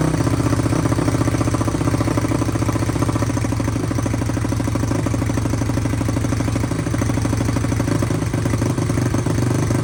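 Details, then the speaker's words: SSR YX140 pit bike on first start-up after the PF2 build with a Nibby carburetor, choke left on. Fast single-cylinder putter with an uneven, lumpy beat; idling rough and rich, smoothed out after choke off and idle/air-screw adjustment. "Sounds like she might be a little rich. Forgot I had the choke on. That's probably why it wasn't running great."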